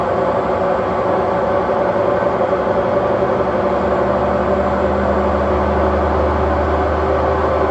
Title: very bad bearings